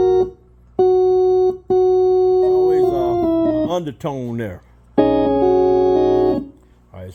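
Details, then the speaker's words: Hammond A105 organ needing refurbishment, after replacing bad 12AX7 and two 12BQ5 tubes: chords ring clearly but a low steady hum and faint stray extra notes sound under each note; tone or amplifier fault suspected, AO-39 amplifier next to be checked. "now it's sounding better than it was listen that one like additional notes of being play"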